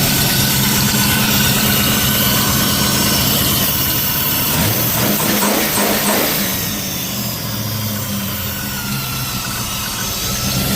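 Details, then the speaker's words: Ford Falcon XB hardtop under restoration, restarted with no coolant in it, after an earlier knock: fires and settles into a steady, even idle with the knocking noise now gone, cause unknown; normal idle. "She's got no water in it, so that's about as long as I want to run it. But yeah, that's that noise is gone now."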